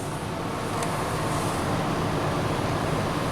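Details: Motorhome generator, after new control board fitted, running unplugged from shore power and powering the AC and microwave. Even, steady rushing drone with no surging, knocking or hunting under load; normal generator run.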